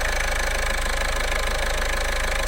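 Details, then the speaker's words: Car engine idling after new belt and water pump installed to redo a dealer's poor work, top cover not yet fitted: steady even idle, smooth low pulse, light belt hum, no knocks or squeals; brand new and quiet, normal idle. "I didn't put the cover in the top cover yet but brand new and quiet like it should"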